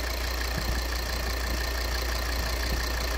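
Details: 2013 Volvo XC60 2.4D (D5244T10) diesel after repair of the vacuum valve with a ruptured membrane, which had caused knocking and turbo vacuum flap pulsation: steady, even idle with a smooth low rumble, no pulsing or knocking.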